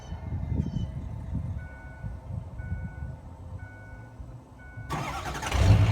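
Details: Ford E350 Econoline 6.0 Power Stroke diesel van, cold start after long sitting: quiet seconds with faint chime, then brief cranking and clean start on its own battery power.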